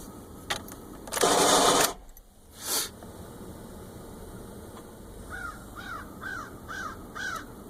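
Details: 2010 Honda Accord cold-weather start; loud noise occurs intermittently, rarely after driving. Harsh grinding burst under a second while cranking, then quiet: grinding on cold start, suspected bad starter or possibly flywheel.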